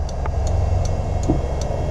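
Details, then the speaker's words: Slot machine from a storage locker auction with Chinese lettering, switched on: it lights up, then sharp, evenly spaced ticks about two or three a second over a low steady hum, no music; some fault keeps it from running. "it lights up and then she just starts ticking so I think there must be something that is you know some sort of fault that's preventing it from running"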